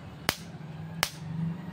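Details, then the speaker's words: Solar-chargeable battery fence energizer with fence wire shorted for testing: sharp snapping cracks roughly every three-quarters of a second over a faint hum; normal pulse, machine working. "हा जो आवाज येतोय हा आवाज तुमच्या येतोय आपल्या जो करंट मशीनमध्ये चालतोय त्याचा आवाज येतोय"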